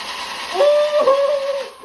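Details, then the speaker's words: Tuttio ICT e-bike with the upgraded metal-geared hub motor (same ESC), on the kickstand at pedal assist 5 with throttle applied. A soft, steady mid-pitched whine rises, then fades smoothly. The hub motor sounds even and healthy. "That is the upgraded motor for the 2 ICT, son."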